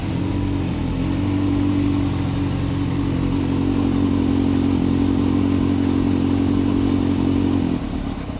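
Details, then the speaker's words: 1997 Suzuki GSX-R600 carbureted, cold start on choke in neutral: engine catches at fairly steady fast idle with uneven clattery edge, then sags and fades; rough cold running, owner thinks it needs more choke. "It's a cold bike, so yeah, with these old bike you don't have any injection or something like that, so you need to use the choke and to give it some extra fumes."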